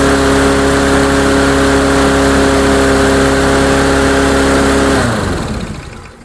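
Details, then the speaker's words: Cheap Dynamark lawnmower, smoking heavily: races at a high, steady buzz that never settles to a governed speed, then winds down at shutoff. Overspeeding; owner suspects the throttle is disconnected or stuck. "Nope, nothing. I don't like it running that fast though. That's oh, the throttle's not actually connected, it looks like. Or it's stuck."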